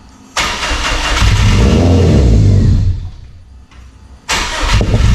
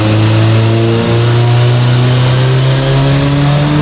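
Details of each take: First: Subaru Forester STI on a stock longblock with a rotated Precision 6870 turbo, cold start in the high 20s to low 30s °F: engine catches, settles to high idle with a thin steady power steering pump whine, a longstanding cold-only problem; bleeding suspected. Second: Subaru Forester STI build, stock longblock, Precision 6870 rotated turbo, on dyno now free revving: strong, steady note climbing smoothly under full load with no misses or stumbles; clean pull making 529 (422).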